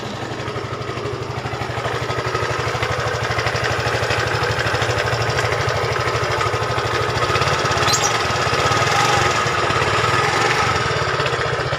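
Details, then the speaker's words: Yamaha Fino 125cc fuel-injected scooter idling before repair, before CVT inspection: harsh, gravelly clatter over a steady idle beat of about three a second. Very rough sound though the scooter runs normally; worn camshaft bearing. "Jadi ini suaranya lumayan kasar atau sangat kasar, tapi motor normal kayak lagi ya."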